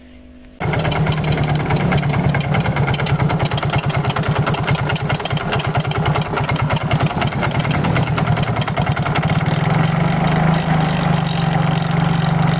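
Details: Yamaha Mio GT scooter before repair, MIL code 42 (speed sensor); rough, scraping churn rising with revs, seemingly mid-engine with friction noise; fault suspected in the side CVT.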